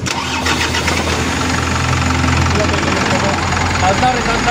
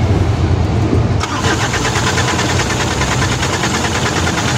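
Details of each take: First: Isuzu Elf 4M50 diesel with a hard-start complaint and scanner codes incl. engine revolution count sensor; after the sensor was replaced it starts with one crank despite a weak battery and settles into a steady even idle, no stumble or misfire; normal start. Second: Isuzu Elf with 4M50 diesel engine, hard start: long, even cranking over twelve seconds with only a faint attempt to catch; scanner showed engine revolution sensor and rail pressure codes, injector return checked fine, traced to faulty crankshaft position sensor near the transmission.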